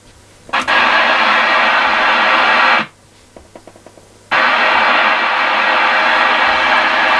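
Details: Customer's second CB radio, returned as not working, tested with an external speaker because its own speaker seemed dead, squelch open and volume at max: steady even hiss, a brief cut with clicks, hiss returns; receiver working normally.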